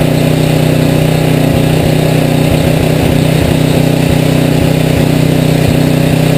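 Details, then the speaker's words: Rebuilt Tecumseh HM80 on a Craftsman 826 tracked snow thrower, first start with fresh gas and oil, electric start, choke and primer; fast even single-cylinder bark at high fast throttle, steady firing, no misses or knocking. "Alright, what I did there down below here was with it on high fast throttle"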